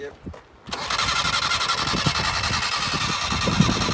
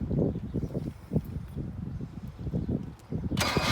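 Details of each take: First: 1978 Datsun 1500 Ute GN620, parked 20 years, refilled with fresh fuel: extended cranking with uneven compression beats, never catching; it's unclear whether the mechanical fuel pump is drawing from the rear tank. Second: 1978 Datsun 1500 Ute GN620, unused 20 years, cranked on a battery booster: the starter spins the engine with an even chugging rhythm and no binding. The engine turns over freely and is not seized.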